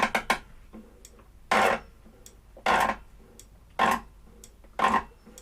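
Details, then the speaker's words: Trash-picked walk-behind mower, sat about 40 weeks, with intermittent fault: after adjusting the cable, distinct sharp clicks about once a second as the bail lever is worked; dead man safety switch now engaging properly. "I adjust this cable um adjusted that cable just to not up the top end that's what I've done and then now I adjust this c i p this Cable in you'll hear it click"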